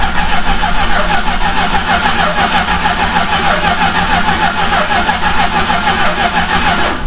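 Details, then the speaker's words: 1969 Plymouth Road Runner 440 V8 after 20+ years sitting, cranking with coil disconnected, throttle wide open, compression tester in cylinder six: even, steady cranking beat for seven seconds; about 150 psi, good compression. "Um, oh yeah, look at that. We're like at like 150. That's awesome. That's really good compression."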